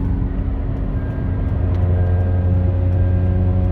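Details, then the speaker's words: 2010 Kia Soul driving: loud droning rumble with steady low hum, raw unmuffled note; exhaust leak in the exhaust pipe. "exhaust leak Kia Soul another one to do so this one's beside the highway"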